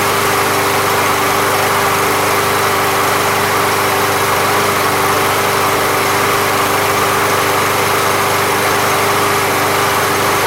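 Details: Briggs and Stratton lawn mower (MTD), after Seafoam fixed a no-start without carb removal: smooth constant buzzing drone at one speed, no surging or sputter; running healthy.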